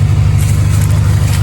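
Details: Idle with a Flashark header in place of the cracked stock manifold and the gutted stock cat reinstalled: a deep, heavy, boomy rumble, much louder than stock and louder still when driving. A small exhaust leak remains.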